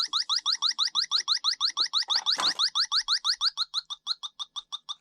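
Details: Lennox heat pump not cooling after another company replaced the air handler coil; leak detector gives rapid rising high-pitched chirps, about three per second, at the TXV connections, where a faint high-pitched whistle was heard: refrigerant leak at expansion valve.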